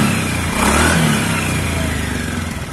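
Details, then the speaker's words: Honda Beat FI ESP scooter after CVT work, CVT and engine covers refitted: revs up and settles back smoothly with an even drone, no rattle or shudder; CVT now running normally. "deh suaranya sudah halus lagi ya pekerjaan berhasil"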